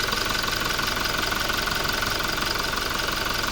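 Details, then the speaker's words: Toyota Revo diesel, about 140,000+ km, warm idle after intake manifold cleaning; cold starts rattle like the timing chain, but once warm it quiets to even, fast injector ticking about three per second, no chain rattle; normal. "พอเครื่องมันอุณหภูมิได้อย่างเงี้ยเสียงมันจะเงียบเลยเสียงก็เงียบนะดังแต่พวกหัวฉีด"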